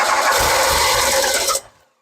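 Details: 1981 DeLorean with 4,690 miles, sitting since 1997. About 1.5 seconds of steady starter cranking with a faint cough and no catch. Spark is present: cranks but no start.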